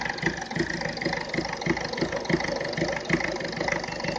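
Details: Ford Fiesta 1.4 diesel at tick over: lumpy idle with uneven stumbling thumps about three a second; infrared temperature gun check points to faulty injector number one.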